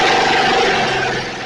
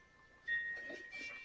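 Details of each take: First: Snapper 28" riding mower, 12.5 hp Briggs & Stratton single-cylinder, hard-starting: running after coil grounded with a screwdriver at the kill ground wire location; steady, fast, even beat with no misses, keeps running fine. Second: Snapper 28" riding mower, 12.5 hp Briggs & Stratton, electric start, hard starting: few clicks then steady rapid cranking about four beats a second, never catches; no spark at plug, traced to a shorted kill wire.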